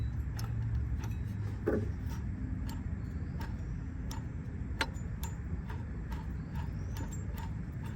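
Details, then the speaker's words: 2008 Toyota Highlander 3.5 removed water pump spun by hand: dry irregular ticking and rough clicks over a low hum, the same noise heard from the engine before removal; worn water pump bearing. "So that's the noise that you was hearing right at the beginning of the video."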